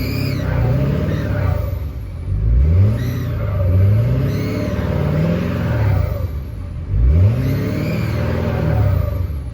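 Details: Ford 6.7 Powerstroke diesel, engine running: high-pitched Banshee squeal rising and falling with revs above diesel clatter, sounds like belt but comes from middle of engine bay, not belts; likely turbo area.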